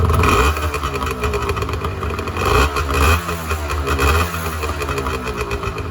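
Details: 1986 Honda NS400R 400cc two-stroke triple, first start after 11 months, warming up at idle while the carbs are run down before storage: uneven, crackling burble with pops from the pipes; normal idle.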